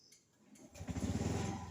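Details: Honda Zoomer X scooter with idle-stop system that shuts the engine at red lights; engine restarts within a second on a throttle twist and settles into a steady even putter; normal idle-stop restart.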